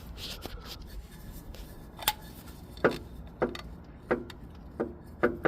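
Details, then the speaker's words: 2019 VW Tiguan SE 4motion 2.0T on jack stands, engine rocked: sharp hollow clunks every half second from a destroyed dog bone (lower torque mount) bushing, the source of the knocking noise. "All right, found it. Dog bone bushing smoked."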